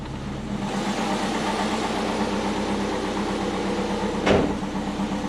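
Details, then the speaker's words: Twin-turbo Subaru Forester on jack stands after spark plug check and tune corrections, running a bit rich: even, steady revving with no stumble, popping or missing; idles higher and smoother, all four cylinders apparently now firing properly, normal revving. "it's definitely revving a lot better um yeah we'll get off the jack stands"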